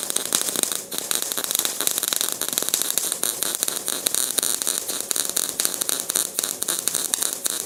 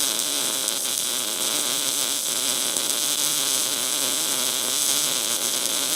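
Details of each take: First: Welding arc running badly with a harsh, uneven crackling, stutters and a brief dropout instead of a smooth steady sizzle; welder suspects a poor ground connection, cause not confirmed. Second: MIG welder with voltage increased to burn through: even, continuous frying hiss without pops or breaks; steady, stable welding arc.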